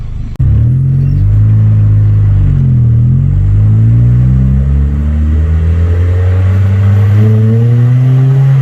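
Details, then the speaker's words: Honda CRX Si with its stock exhaust holed and rusted at the tailpipe and muffler. The four-cylinder revs up and down with a loud, raspy drone; exhaust leak. "enjoy this out clip of just some crx sounds even though it's the stock exhaust and it has holes"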